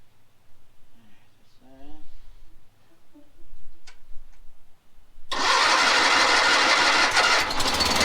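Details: Cub Cadet 2072 garden tractor, battery charged: after a quiet stretch the engine fires abruptly and holds a steady loud run with no misses, a clean start.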